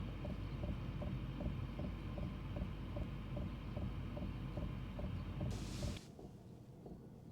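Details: Diesel heater mounted on the side of a camper, warmed up and set to run low: sharp regular ticks about 2.5 per second over a low hum, fuel dosing pump clicking loudly, up to 84 dB.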